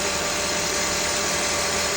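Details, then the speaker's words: Honda with a serpentine belt squeak under acceleration, after belt/pulley work and reassembly: steady even idle with smooth hiss, no chirp or squeal, smoother than before. Belt drive healthy, normal idle. "Sounds good. Sounds good. Sounds smooth. Very good."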